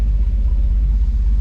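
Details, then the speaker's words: Turbocharged 1982 Mazda HB 929 series 1 skid car, first start after rescue from a paddock: deep, lumpy idle with uneven pulsing, running rough; owner suspects water in the turbo, unconfirmed. "Oh, you know you want it, baby. I think I got some water in the turbo."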